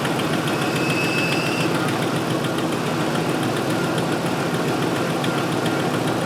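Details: 2005 Ford F-150 FX4 with finned power steering cooler, after replacing the cooler-to-reservoir return hose and refilling with Mercon V, bled lock to lock; steady idle with faint pump hum and no groan or whine, no leaks; normal power steering operation.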